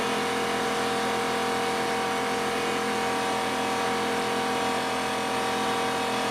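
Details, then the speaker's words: New Porter-Cable C2002 6-gallon 150 PSI pancake air compressor running, a steady even motor drone and constant pump hum with no knocks or rattles; healthy. "And so what I'm going to show you now is I'm going to turn the audio back on and you'll hear the compressor actually go. So I can demonstrate it for you."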